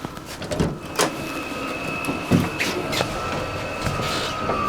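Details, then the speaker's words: Vevor 12V 5kW diesel heater in a Baja Bug Beetle, 35° outside: steady high whir with faint even hum and a few stray knocks, running normally through its warm-up. "the heater has uh gone through it its initial warm-up phase and now it's slowed down quite a bit not making near as much noise as it was"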